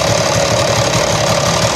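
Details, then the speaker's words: Honda CD 70 motorcycle, engine running in 4th gear: even knocking clatter starting once in gear, rear wheel and chain not turning, noise stops in neutral; drivetrain fault, cause not yet found. "ये देखें जी 4 गियर में आ रहा है और ये आवाज़ कर रहा है।"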